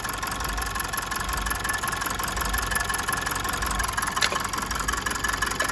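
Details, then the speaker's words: Mazda 6 2.2 Skyactiv with check engine light on but no fault codes: idle carries an uneven, stumbling beat with a sharp clatter, the rhythm skipping now and then; definite misfire, injectors suspected, with number 1 sounding noisiest by stethoscope. "But anyway, we have a misfire there, for definite. I've gone into just trying this, and as I said, I had no fault codes detected yet."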